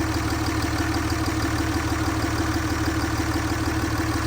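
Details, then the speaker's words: 2006–07 Cummins 5.9 diesel truck with cat and muffler, just started after sitting: steady, even idle with a regular low clatter of about three pulses a second, no misses or knocks; a healthy engine. "listen to that thing her guys it does have a cat and a muffler so I'm a big fan"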